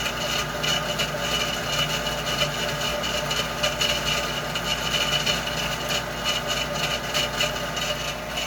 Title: Heater Issues / Loud Noises